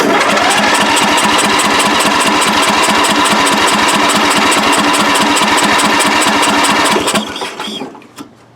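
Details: Free riding mower with drained tank, flooded earlier, single-cylinder engine fires and burns off excess fuel, runs with an even steady beat about 220 per minute, then drops off as throttle is turned down; running cleanly.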